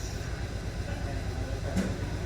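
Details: 2015 Hyundai Sonata 2.4 petrol engine idling with an uneven, stumbling low pulse; scanner shows P0303 code, cylinder 3 misfire detected.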